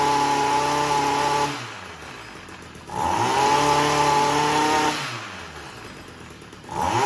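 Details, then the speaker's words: Stihl MM55 Yard Boss two-stroke, backfiring no-start from failed ignition coil, after replacing only the coil: starts first pull, idles smoothly and revs cleanly up and down twice with crisp response, no stumbling or backfire. "That was the first pull. That's pretty impressive. Wow."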